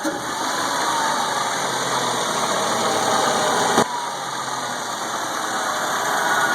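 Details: Suzuki Grand Vitara 2.0 J20A petrol engine at full throttle: a steady airy whoosh or blowing whistle from the engine bay, source unknown. It persists after cleaning the MAF sensor.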